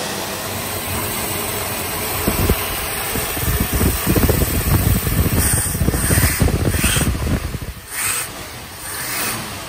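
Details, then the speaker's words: 1965 Plymouth Valiant, 170 Slant Six, just revived after sitting, fuel pumped into carb bowl, radiator shot: low, uneven-sounding steady slow idle, no knocks standing out; engine started and keeps idling, normal idle. "I actually pumped it a few more times got the gas up into the bowl and it fired it fired up and now it's actually idling"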